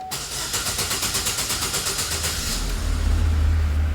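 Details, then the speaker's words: GM Celta with the crankshaft reluctor wheel removed, starting from the phase sensor alone, fan on, no air filter fitted; even starter churn for about two seconds before catching, then smooth idle; normal crank and start. "as novas estratégia de de motores ele entra em funcionamento através do do sensor de fase tá ligado a ventuinha porque tá sem fto de ar sem nada aqui tá mas ó lá ele entra em funcionamento"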